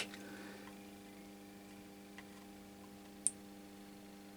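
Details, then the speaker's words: Switching mode power supply with intermittent output, board flipped over: steady low electrical hum with one sharp click when board is pushed, output returning; owner suspects ugly solder joints near coil, loose connection. "So, I flipped it over and uh well uh the situation is now when I push it here, you can hear a click"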